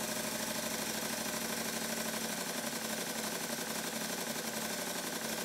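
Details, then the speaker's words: Stuart triple expansion model steam engine after modifying the low-pressure cylinder eccentric sheave and final valve gear adjustment: fast, even chuffing hiss running in reverse with no knocks, same power both directions. "and now after one final minute adjustment the engine runs exactly the same way in both directions with exactly the same amount of power according to my finger on the flywheel"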